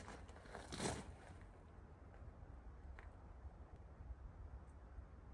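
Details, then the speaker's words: ATK 125 go-kart single-cylinder with no muffler yet: loud, blatty exhaust with an uneven, stumbling beat and a sharp surge near the start. Carburetor no longer leaks. Owner suspects a loose intake from hammering. Loud exhaust, rough running. "I guess I ain't worked all the bugs out of her just yet. Yeah, she's pretty loud. That's okay. We're gonna fix that."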